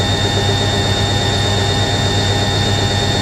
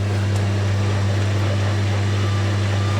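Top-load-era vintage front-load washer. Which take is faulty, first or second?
first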